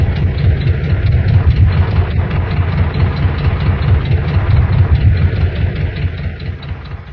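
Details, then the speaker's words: Volkswagen four-cylinder engine idling while missing on two cylinders: a rough, lumpy idle with a low beat that keeps skipping. "An engine misses or misfires when the gas and air mixture in a cylinder doesn't explode when it's supposed to. You hear a miss as a break in the normal beat of the engine as if it skipped a beat, which is exactly what happens."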